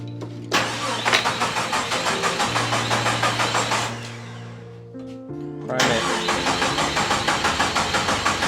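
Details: 1972 Jeep Commando with a swapped-in 2000 Cherokee 4.0 straight-six, AW4 and 231 transfer case, first start attempt; fuel reaches the rail. Starter cranks steadily at about three turns a second, pauses, cranks again without catching; no spark, coil pack unplugged.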